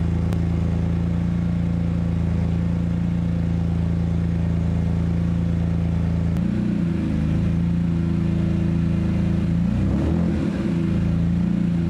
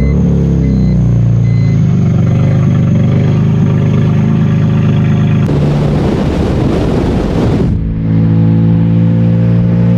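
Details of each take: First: BMW E46 M3 convertible sat over two years, started on old fuel after fixing loose fuel hose clamps: steady even low idle with no misses or knocks for about twelve seconds, then shuts off cleanly. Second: BMW E46 M3 convertible, revived after sitting over two years, first drive: deep booming drone climbing under throttle and dropping back smooth; very loud, raw exhaust.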